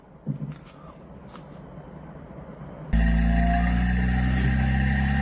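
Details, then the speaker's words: Panasonic/TCL/PEL-type DC inverter AC outdoor PCB on test bench (E0 error training): near silence, then steady low hum with even whirring as compressor switches on and runs normally. "ये देख सकते हैं हम कंप्रेसर भाई इसका ऑन हो गया है।"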